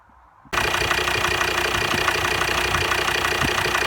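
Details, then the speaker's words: Volvo XC60 D5 diesel (believed Euro 4) after replacing two injectors with failed springs and solenoids: steady idle with an even, quick clatter and no misfire or stumble; smooth, and a little more responsive. "so it seems a little bit more responsive"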